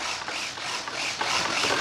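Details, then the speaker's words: Dynam Me 262 twin 70mm EDF model, AS3X stabiliser gain turned up to about 100%: fast buzzy chatter as servos hunt back and forth nonstop; oscillation stops when AS3X is turned off. "So now I'm going to go to the next setting and I'm going to turn up the gain to like 100%. Okay, just to show you how incredible this can be. Okay, now if you look at that, it's going like nuts."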